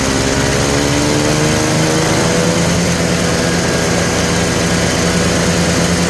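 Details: Polaris Trail Boss 250 two-stroke, just revived: raspy, with a wandering unsteady pitch, never settling into an even idle. The owner suspects a plugged carburetor idle circuit; the cause is not confirmed.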